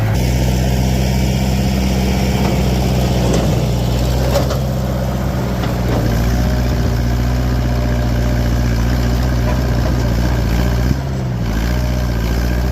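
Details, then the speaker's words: Farmall 504 tractor after fixing the sediment bowl, driving down into pit ruts where it bogged from low fuel before: steady, even low engine beat holding speed under load, no bogging; pulls well, normal running under load. "If it's lacking one thing, it's more weight, but she pulls her own."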